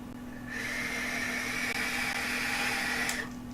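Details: Digiflavor Themis atomizer, single coil, airflow open: steady fairly high whistle starting sharply with the draw, holding about three seconds, then cutting off; air whistling through the atomizer intake, noisy airflow.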